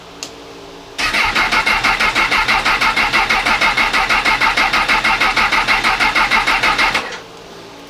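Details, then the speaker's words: Honda CB1000R with a rectifier and starter motor fitted a month earlier; it broke down at a petrol station. With the kill switch on, the starter cranks strongly and evenly for about six seconds but the engine never fires. Battery just off a trickle charger. Cause not yet found. "So as you can hear, it's not starting."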